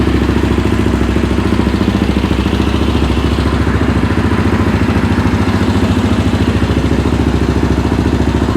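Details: Yamaha Raptor 700R after engine rebuild, in frame, battery charged overnight, coolant and oil cycled: quick, even single-cylinder thumping at steady idle with no knocks or rattles; normal idle.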